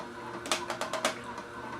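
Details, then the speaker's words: Omega VSJ843 vertical slow juicer crushing a fat-diameter carrot during a 36-carrot (5 lb) run: irregular sharp cracks and crunches over a quiet motor, with no strain or squeal. Normal grinding operation. "But once again, you can hear it grinding up."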